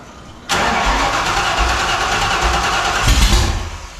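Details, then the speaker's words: 1987 Saleen Mustang, first startup of a 347 replacing the 331, cranked without a radiator. It fires quickly, then runs rough with a lumpy beat and heavy shake. The owner suspects crank balance and plans to swap the 50 oz flywheel weight for 28 oz, or else the balancer. "If it won't for that, it cranks and runs good, but it's just it's got a bad shake. You can tell it's definitely something off with the crank balance."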